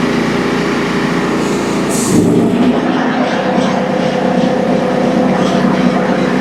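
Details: Old first-edition DR all-terrain brush mower after repair with new bearings and idler pulley instead of a new clutch (blades had stopped engaging): steady, even engine drone with blades engaged, no rattle, squeal or grinding.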